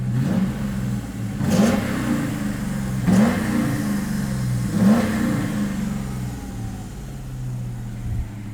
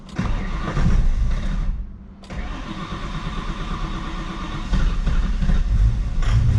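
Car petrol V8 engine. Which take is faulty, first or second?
second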